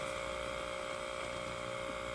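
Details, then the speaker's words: Tape playback from a dead Panasonic PV-332 VHS-C camcorder: constant unbroken buzzing hum throughout; buzzing on playback, cause unknown, possibly a recording camcorder with bad capacitors. "And there's a sound in the... There's a buzzing sound in the video."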